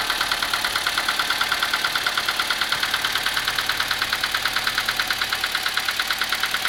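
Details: Engine at steady idle, also reported to run on (dieseling): sharp metallic ticking about three times a second rides over the engine; valve-train knock from worn rocker arms.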